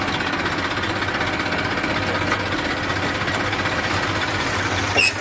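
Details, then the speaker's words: Massey 1035 diesel tractor after gearbox repair with reverse and first gears replaced, running in forward: steady, even engine and drivetrain drone, no knocks, grinding or whine; gearbox normal. "Front में भी आप देख सकते हैं कोई आवाज़ नहीं।"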